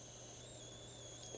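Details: Lenovo T500 laptop whose screen flickers intermittently with a reddish hue: a faint, steady high-pitched hiss with thin whistling tones, likened to a radiator, is suspected to come from the failing CCFL backlight or inverter.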